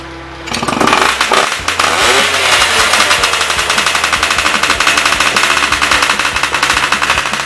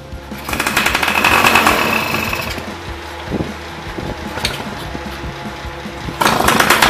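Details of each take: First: Yamaha Y110SS two-stroke motorcycle after repair: starts, blips, then settles into a steady, even, rapid idle. The earlier unstable idle was caused by cylinder wear and a blocked carburetor, which was cleaned. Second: Yamaha Y110SS two-stroke motorcycle, after cylinder boring and new piston rings: idle still unstable, surging and sagging instead of settling; likely blocked carburetor, to be removed and cleaned.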